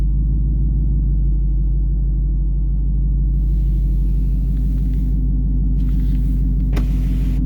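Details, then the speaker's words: 2019 Ford Mustang GT at startup, window cracked: deep, even V8 exhaust rumble at steady idle without the intermittent front chirp the owner is chasing; healthy, background ticking is nearby construction. "so you can hear that's what it's supposed to sound like"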